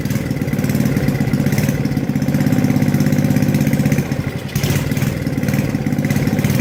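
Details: Tecumseh 4hp engine on an Estate snowblower, just after a carb rebuild with a makeshift governor fix: fast, even single-cylinder chug with one brief sag near four seconds before settling. Normal, steady running.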